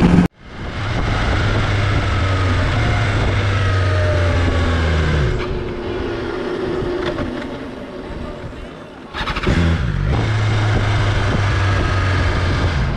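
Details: 2020 BMW S1000 XR: engine note sags and dies as bike slows at low speed while pulling through clutch friction zone, then restarts; owner can prevent it by slow clutch engagement, cause unknown.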